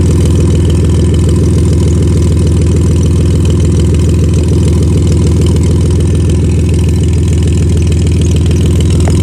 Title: Exhaust leak